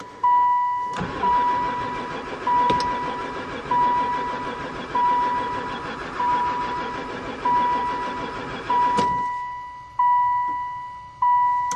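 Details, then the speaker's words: Van that has sat about four years and barely ran before: the starter grinds over in repeated few-second bursts, the engine never catching. The owner suspects no spark. Crank, no start. "um I think we definitely got no spark I give up piece of bees"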